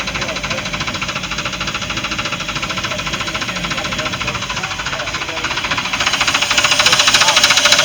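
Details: Chaparral boat with a MerCruiser V8 running with a steady internal knock, about 3.5 per second, getting louder. It lost power on the lake after winterizing left tape over the oil fill; 3.5 quarts were added and the dipstick now reads one quart over full. Cause unconfirmed.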